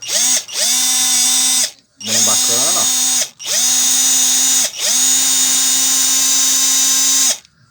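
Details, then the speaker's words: Hummer PLI12 cordless screwdriver, which had made a strange noise and would not reverse, after repair, on an 11.5 V battery: four clean bursts of steady high whine holding even pitch under load, no grinding or clicking; healthy. "Tá segurando bem a a tração, né?"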